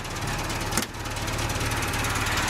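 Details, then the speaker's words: Suzuki Samurai after its exhaust was removed and a crack at the catalytic converter/down pipe welded up: even, settled idle with a smooth low pulse and one brief clack, no hiss or puffing, much quieter than before. "so it is definitely a lot quieter than it was before"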